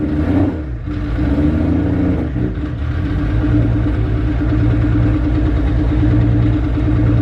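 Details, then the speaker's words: Nissan 240 with a freshly swapped 1J engine, first start the day after fixing a missed ground wire: lumpy, uneven chuffing with no smooth idle, misfiring badly; owner unsure of cause, later thinks old fuel flushing through. "Alright, well, it's running, but it's misfiring really bad. I do not know what the cause of that would be."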